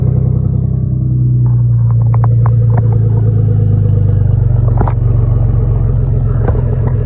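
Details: 2002 Jaguar S-Type with turn-down pipes: deep rumbling idle with loose, puffing exhaust note and a few rev blips; exhaust leak near the downpipes.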